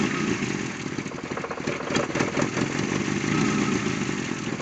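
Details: Toyota AE86 stumbling and pulsing unevenly at idle with a ragged misfiring beat, traced to a bad throttle position sensor.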